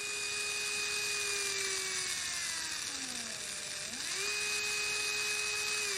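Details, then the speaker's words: Small motor with a 48:1 gearbox (about 140 RPM) from an angle-grinder test, running on 12 volts: steady high gear whine that sags in pitch under load and recovers, no grinding; normal gear whine. "okay so we can have it going you hear the little gears are making noise in there"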